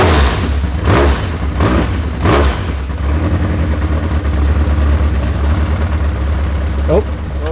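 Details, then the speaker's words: High-compression K-series engine in S13, first start with oil pressure confirmed: sharp throttle blips, then loud rough-edged but steady open-header idle, no knocking; sounds like a drag racer, healthy. "oh sounds like one of them drag RAC that's kind of cool"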